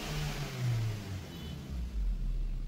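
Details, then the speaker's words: Maruti Suzuki Swift petrol with check engine light, stalling when throttle released: revs swell slowly and sag back between blips, delayed RPM response; dirty sticking throttle body, cleaned to fix RPM fluctuation. "तर गाडी आता start आहे आपण जर accelerator दिलं तरी गाडी performance घेत नाही म्हणजे एक्सलिटर डिले घेते गाडी एक्सलिटर पॅडल तुम्ही पाहू शकता आता आरपीएमही ड्रॉप होते गाडीच"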